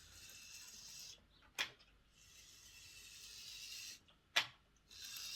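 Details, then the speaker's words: Triang Class 31 diesel model locomotive motor run after refitting wheels and adding gear oil; high even whir in two runs with short clicks between, no grinding; sounds very good, motor working. "it's a question of how loud is it how smooth is it let's see it sounds quite good that sounds very good actually"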